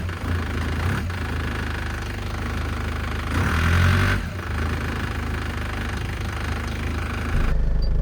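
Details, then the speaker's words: 2004 Nissan Patrol Y61 with ZD30 diesel, first start after swapping in a second-hand engine because the old one developed an undiagnosed tick: even idle with soft regular clatter and no ticks or knocks; smooth and healthy, no smoke. "That sounds really nice, very smooth. I'm really pleased about that."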